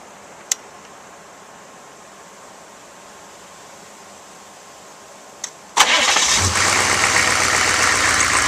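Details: 1995 GMC Suburban 6.5L turbo diesel, first start after an HX35 Holset-clone turbo upgrade with turbo pre-oiled: short crank, catches and settles straight into a steady, even idle with no stumble; normal idle.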